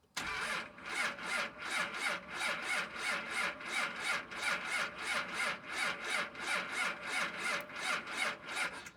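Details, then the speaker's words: 2nd Gen Cummins diesel at -9°F in the dark, unstarted for a few days; slow even cranking about ninety strokes a minute with no catch yet, cold diesel turning over on the starter. "Alright boys and girls, it is -9 Fahrenheit. I don't know if you can see, it's pretty dark right now. So let's see if it starts."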